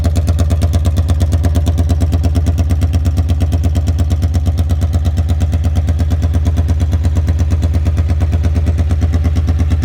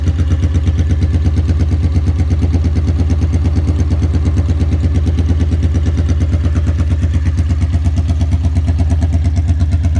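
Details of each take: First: 1982 Honda Magna V45 VF750C, warmed up after an oil change, choke zip-tied open: loud, raw, steady unsilenced exhaust bark at fast idle with crisp regular pulses, running without a muffler, "loud as a banshee." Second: 1982 Honda Magna V45 VF750C, cold start right after an oil change with Shell Rotella T4 15W40 and a K&N filter, loose choke held with a zip tie: deep, even thrum at fast idle with no misses or knocks. Normal cold idle while warming up.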